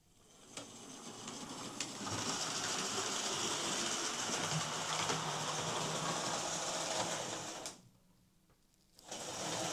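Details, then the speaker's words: Hornby R2558 County Class model locomotive, bought as poor runner, on power: motor whirs steadily with regular clicking about four a second from a gear with a missing tooth. "Uh, you can hear it clicking. That'll be the missing tooth, but yeah, it runs not too bad."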